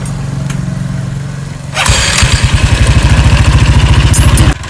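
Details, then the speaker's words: Yamaha Fino/Nuvo belt-drive automatic scooter idling then revving: rough rhythmic pulsing with a dry scraping hiss; the old, worn CVT drive belt, past its replacement interval, rubs on the metal cover. "ผมจะไปยื่นแล้วพูดเนี่ยพอเรายิ่งขึ้นจะมีอาการอย่างนี้ครับคือจะดีมาโดนเนื้อเหล็กนะครับ"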